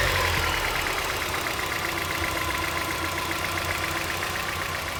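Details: 1990 Mazda Miata at idle: light, fast, slightly uneven ticking about four a second over a steady idle; owner suspects lifter tick, unconfirmed. Ticking at idle.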